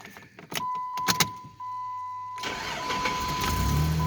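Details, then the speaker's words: 2006 Jeep Grand Cherokee, 181,000 miles, after exhaust and brake work, check engine light on: short crank, catches cleanly and settles into steady even idle with no exhaust rattle or leak puffing; normal quiet start and idle. "I just want to get in here and let you guys listen to this thing start up. See how quiet it is now."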